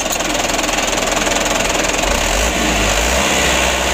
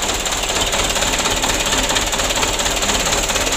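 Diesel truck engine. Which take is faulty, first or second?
second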